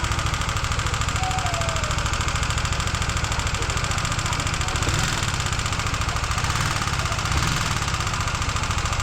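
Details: Honda CBR150R single at fast idle: rough, irregular tapping from the top end. It was later traced toward the intake side, with a loose part there and sand-like debris inside the engine; the cause is suspected, not confirmed.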